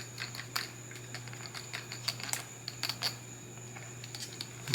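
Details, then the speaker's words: DRC 9300 1/18-scale RC car, rear plastic differential with plastic cups, wheels turned by hand: faint, uneven dry ticks and scratchy rubbing as it binds; run dry without grease, to be greased or replaced with a metal-gear diff. "it's a plastic differ differential it's got plastic cups and we you hear it binding it's not supposed to make that"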